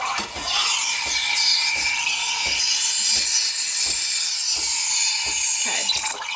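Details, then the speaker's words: Breville 800ESXL Duo-Temp Pro espresso machine, steam wand frothing milk toward 160–180 after heat-up: loud steady high squealing hiss with light rhythmic ticking, pitch drifting as milk warms; normal squeaky steam frothing. "so I'm gonna turn it on and this is quite loud it's very squeaky type itch but that's good that's normal if you ever go into a coffee shop you will now probably notice that all the machines are squeaking and that's good"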